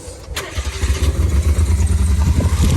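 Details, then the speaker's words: Mitsubishi mini truck, carburetor idle screw butted up against its stop: the engine catches and holds a fast, steady rumble that never drops to a slow idle. "as you can hear, is a pretty high idle. Won't leave it on. Well, to fix that, what we're gonna do is crank that screw back."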